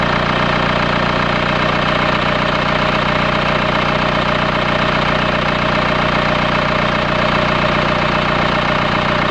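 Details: 2008 Mercedes B200 CDI diesel at idle with a hard metallic rattle about two and a half beats a second; several mechanics could not identify the cause without dismantling the engine.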